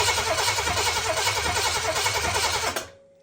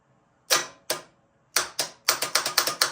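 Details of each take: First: Oldsmobile 400 G big block, HEI ignition disconnected, fuel line into a gas can, cranking for about three seconds at roughly three pulses per second: an even starter rhythm. Normal cranking, and the fuel pump works (leak at the Quadrajet filter housing). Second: Oldsmobile 400 G big block with a new starter and fresh battery, ignition lead not connected: sharp dry clicks in uneven bursts with no cranking. The starter clicks without turning the engine, cause unconfirmed; the motor turns over fine.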